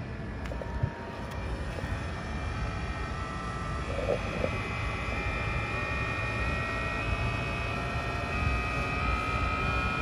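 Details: 2018 Tesla Model X with AC compressor running: steady low droning buzz under a constant high whine, even throughout; vibration noise, cause unclear.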